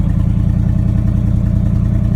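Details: 1979 Chevrolet C30 square-body truck: a steady, even low V8 thump with regular firing pulses and no clatter. Power steering creaked when low, then was topped up. Normal running.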